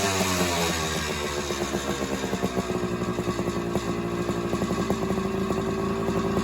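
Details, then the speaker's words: Suzuki PE175 two-stroke dirt bike with the stock silencer, before an FMF silencer install: crisp, ringing two-stroke crackle firing evenly and revving cleanly with no misfire or rattle; healthy baseline sound. "There's a reason why they call them two smokers. So, there you go. There's the before before sound."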